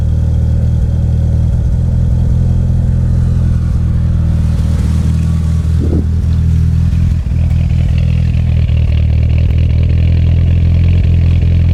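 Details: DSM engine idling low with an uneven beat and occasional stumbles: still misfiring after everything was replaced except the ECU and coil pack.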